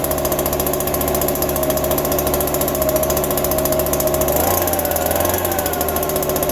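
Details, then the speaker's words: Small two-stroke yard tool just cold-started in December on a little fresh gas, fuel dripping from an unknown leak; still cold, buzzing at an even, steady speed with a slight settle, no misses or sputter, normal idle. "Just let it run for a minute. Nah, it'll be alright. It started and ran."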